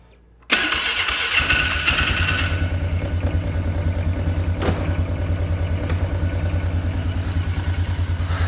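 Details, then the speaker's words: Polaris ATV after repair: catches at once, brief flare, then a settled, even single-cylinder idle with no misses or knocks; runs healthy. "All right, there she is. That's not terrible. It's pretty good."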